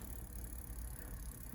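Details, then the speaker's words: Bontrager bicycle rear wheel with corroded spokes, spun freely: low, rough rumble with a faint rattle throughout from worn hub bearings needing replacement along with spokes and nipples. "You can hear those bearings, right? So in this case, we'd have to do new bearings in the hub, new spokes, new nipples."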